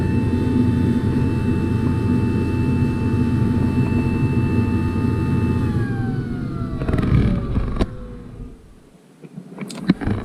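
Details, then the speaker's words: Carrier Infinity propane backup furnace, call for gas heat: loud high inducer whine holds then winds down, ramping too high trying to close the pressure switch, which never closes; flash code 32, birds blocking flue pipe. "Yeah that's ramping way too high it ramps up like that because it's trying to close that switch I believe so it just keeps ramping up and it never does close the switch"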